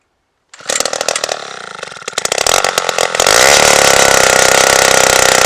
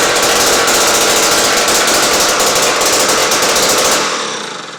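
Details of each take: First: 1953 Zeiss ice auger revived after a spark fix: sputters and stumbles before catching into a steady high buzz; idles poorly and needs the throttle feathered, suspected carburetor tuning issue, though it still drills through ice estimated at over a foot thick. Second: 1953 ice auger two-stroke after fixing a spark issue, with fresh gas: loud rapid crackling buzz at a strong even pace until it winds down; sounds healthy.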